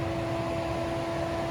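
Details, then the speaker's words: Wuling Air EV modified AC cycling back on after the off period, current draw rising toward 8 A, front condenser fan starting up: steady loud whirring, constant mid-pitched hum, no knocks or rattles; normal but noisy condenser fan. "Lihat, wah, ampere naik lagi, perlahan-lahan ampere naik lagi. Suara kipasnya juga udah mulai berisik ya."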